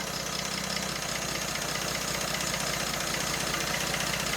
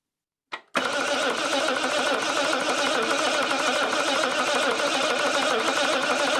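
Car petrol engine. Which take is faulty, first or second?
second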